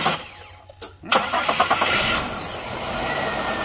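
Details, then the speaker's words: Chevy Impala 3.8 after replacing the starter, corrosion found on the starter (previously labored cranking): short burst of quick, even cranking catches cleanly into a steady idle with no drag or clicking. "All right, sounds all right."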